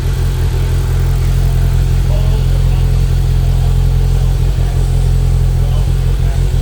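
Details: 2025 Polaris Slingshot idling: deep, lumpy rumble with an uneven pulse that never smooths out; rough idle, cause not clear.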